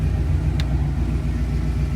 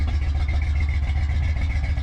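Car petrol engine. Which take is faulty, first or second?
second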